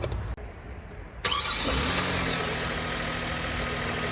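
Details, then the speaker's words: 2014 Hyundai Santa Fe after fixing a cranks-no-start fault caused by the relay built into the EMS box; fuel pump heard priming, then a short crank catches quickly and settles into a smooth, steady idle. "okay started it's running now so I switch it off and I'll put everything back together"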